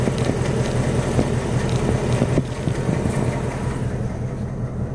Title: 2018 Mustang GT rod knock? Piston slap?